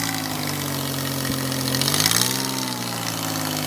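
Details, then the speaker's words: 2003 Ford Escape at idle, owner suspects a bad EGR: loud, buzzy, raspy exhaust note swelling briefly with a small rev, like a V8 with headers or a Honda with a loud muffler; sounds like an exhaust leak, cause unconfirmed. "even listen to this man sounds like a 302 with a set of headers [Music] okay okay that was a little extreme it sounds like a Honda with a bumblebee Muffler"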